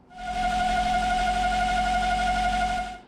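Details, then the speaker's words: 2000 BMW 540i V8 idling with a loud, steady high whistle from a failed crankcase ventilation (CCV) valve. It occurs warm at operating temperature, with suction at the oil cap and rough cold idle; the fix is CCV replacement. "the reason I'm doing this is because it has been making an absolutely horrible noise"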